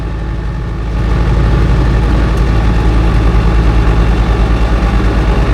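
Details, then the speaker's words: Invacar (TWC) with CVT belt drive, one pulley broken after new pulley fitted, driving on road: heavy low drone under load with rhythmic pulsing about three times a second; drivetrain sounds horrific, owner suspects rough new pulley. "well she may be broken but I thought I'd take her for a drive out anyway um the drivetrain sounds horrific I hope I'm going to make it back home"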